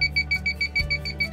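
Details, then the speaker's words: Propane detector in a 1989 Champion Ultra Star motor home beeping with quick high-pitched chirps, about six a second, nonstop, because it has not been reset and is waiting for a reset. "the reason it's beeping is because it says it hasn't been reset yet so what you have to do it's looking for for a reset"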